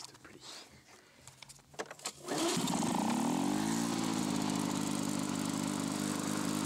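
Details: Lawn-Boy two-stroke mower after patching rust holes in the exhaust and crankcase: handling clatter, then it starts and revs to a harsh, loud, raspy steady buzz; exhaust still very loud, cause not confirmed.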